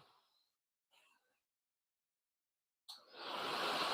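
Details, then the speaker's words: Old electric blower motor after its brushes cleaned up while running: after a quiet spell it spins up into a strong, steady rushing whoosh and holds full speed smoothly; still needs oiling. "Oh, yeah. That's full speed. Okay, cool. Hey, we fixed another thing just by letting it go."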